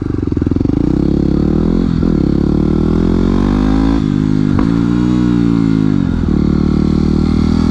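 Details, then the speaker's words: Yamaha WR250X supermoto single without a slipper clutch: revs dip and rise cleanly with short throttle blips on rev-matched downshifts, with no rear-tyre screech, giving smooth downshifts. "more screech like this, a crisp engine noise downshifting is all about being smooth try to prevent any sudden movement that upsets the bike or it might cause handling issue"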